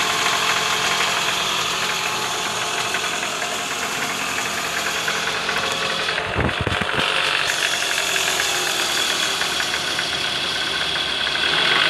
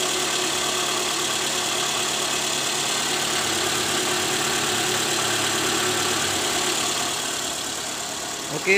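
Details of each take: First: 2009 Toyota Alphard ANH20, 2AZ-FE engine: harsh, gravelly rattle from below the engine near the oil pan at idle in neutral, worst on cold morning starts and easing when warm; balancer shaft worn with play at gear no. 1. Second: Toyota Alphard 2AZ-FE, after replacing a worn balancer shaft with play at gear no. 1, which caused a rough noise from around the oil pan worst at cold morning start: restarted engine now idles smoothly, steady even hum, no knock.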